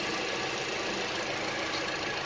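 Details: 2004-2008 Acura TSX after power steering pump and belt replacement, engine idling; quiet, smooth idle with faint even hiss and no whine, squeal or ticking, noticeably quieter than before: normal idle.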